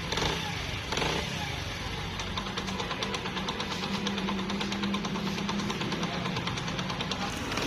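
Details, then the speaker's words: Honda CD 70 after tappet adjustment; timing chain replacement had not cured the engine noise; the single-cylinder now idles steadily with light, even valve ticking and no knock; noise fixed without an engine overhaul. "आपकी bike की आवाज़ बिल्कुल ठीक हो जाएगी engine करवाने की जरूरत नहीं है"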